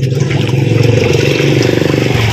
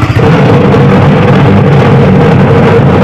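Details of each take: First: Washing machine spin after repairing a noisy, slow spin: strong, even motor drone with steady low pulsing rhythm, motor and gearbox turning with no grinding or knocking; healthy spin. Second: Washing machine that runs slow and noisy, plugged in and switched on for a check: loud motor drone with a rough whir at a slow, labouring spin, traced to a worn gearbox as the source of the noise and slow rotation.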